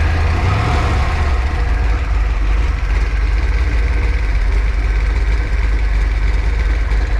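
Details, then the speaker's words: Freshly built 408 stroker small-block Ford Windsor, nine years in the making, started with some heat in it: deep, even V8 idle with steady low rumble, no knocking or ticking; runs smooth, about two hours total, break-in oil, more ZDDP and heat cycles planned. "sounds good running the car that's for sure yeah so we'll just do probably what three or four more heat cycles and shove it in"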